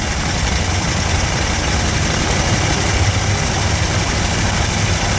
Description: We finally get to hear that 7 liter fire up after 30+ years.